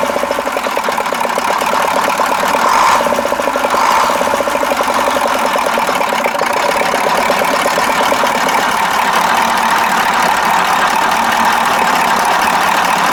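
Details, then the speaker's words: KAMAZ 65225 Euro-2 diesel truck after an engine-knock repair: steady, even idle clatter with no stray knock or miss; owner says it runs normally and the thin metallic knock is gone. "путник а нормально работает вот три раза газовыми уже даже чтобы заглушить"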